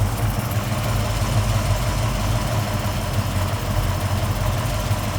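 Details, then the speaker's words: 1969 Chevelle 383 V8 with a fairly aggressive camshaft and a new FST Billet X-treme carb, warm, idle lowered to about 800 rpm: a deep, loping, rhythmically uneven chop from the cam; running fine. "okay so we're adding about 30 no there's a fairly aggressive camshaft on a 383 and idling right now at about 800 rpm"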